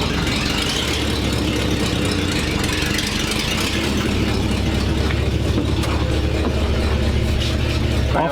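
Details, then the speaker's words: 1942/1947 Ford panel truck after new custom exhaust over axle replacing pipe dumping by passenger door; deep even idle burble, less obnoxious; normal idle. "give it a little deuce sounds good it's got to be better less obnoxious"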